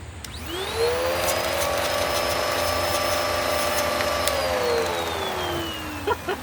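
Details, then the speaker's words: Curb-found Bissell PowerClean upright vacuum, likely 2016 model: motor winds to a high strained whine with little rushing air, then spins down; hose is clear, only a tiny bit of suction and airflow, pointing to clogged filters. "okay there is a tiny bit of suction and there is a tiny bit of airflow it's not anywhere near where it needs to be for sure"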